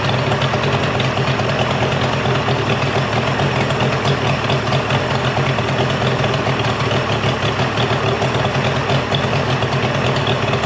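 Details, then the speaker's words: Mercury 50 hp 3-cylinder two-stroke outboard saved from a junkyard, after full service and new switch box, telltale hose cleared of mud dauber nests: even, steady drone holding constant speed, no misses; runs great. "So the motor runs great."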